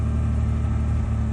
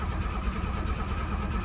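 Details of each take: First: Abandoned 1986 Ford Ranger XLT SuperCab 4x4, sat 16 years, fuel pump leak patched: steady, even low idle with a smooth unbroken rumble and no misses or knocks. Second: 1986 Ford Ranger XLT Super Cab 4x4, abandoned 16 years, after fuel pump leak patch; engine runs rough, abruptly dies with a few clicks, then catches again; ignition switch cutting out, fixed by reseating its loose rear plug.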